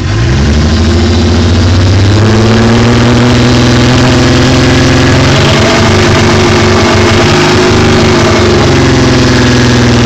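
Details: Mk3 Toyota Supra engine at almost 100k miles, idling and revving: a loud rough idle with a dull rhythmic knock under the engine note that rises with revs; owner says rod knock.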